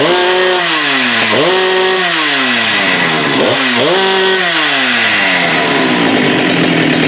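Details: Husqvarna 394 chainsaw with HyWay Titanikel 58mm big bore pop-up cylinder (395 project), cold day; after aftermarket carb replaced OEM carb, no-load revs scream cleanly to about 12,100 rpm (previously 10,500-10,900) and drop back smoothly several times without stumbling: healthy.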